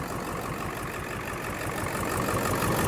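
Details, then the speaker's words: Ford F350 diesel with a crank-no-start fault, after the fuel tank was cleaned, low on good fuel: a low idle clatter with a slightly uneven beat of about three pulses a second. It is still a bit rough but getting smoother. "Yeah, it's still running rough a little bit."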